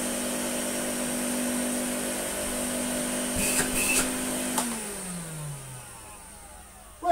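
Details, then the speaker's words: Electrolux Slimline 185 vacuum, reassembled after extensive repair: a steady, even motor whine and airflow hum with no stutter, then the pitch slides smoothly down at switch-off. It runs all right. "it runs all right let's put the speed control knob back home"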